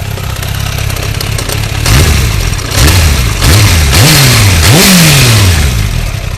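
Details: 2004 600 Bandit motorcycle, about 100 km after an oil change, exhaust manifold repair, brake fluid and front fork work. Idle and quick throttle blips with an odd noise over the engine at standstill; cause not identified.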